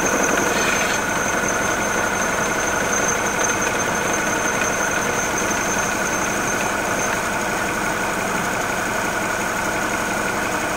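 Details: Mini Cooper R56 N16 petrol engine at idle: uneven running with vibration and clacking friction pulley when the water pump is not driven; with the water pump driven, a dull knock roughly three a second (0:23–0:33), later addressed with a new pulley and ribbed belt.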